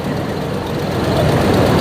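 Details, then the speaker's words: 1996 Ford F250 light duty, after replacing a wrongly fitted ignition control module causing P1351 and a severe misfire: idles with a steady even low rumble, no stumbles, misfire gone. "well I don't hear it so far you remember from earlier the moment I started cranking it it just had that dead Mist where it seemed like everything"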